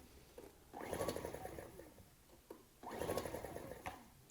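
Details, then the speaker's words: Ryobi RIG1000 inverter generator, old fuel smelled like varnish, trying spray starting fluid: two short bursts of fast rhythmic cranking, about two seconds each, dying away without catching; cranks without starting. "i'm just going to try and start it on this spray starting fluid i know that's not good for engines but i didn't want to commit to putting fresh fuel in this machine just in case it had a problem"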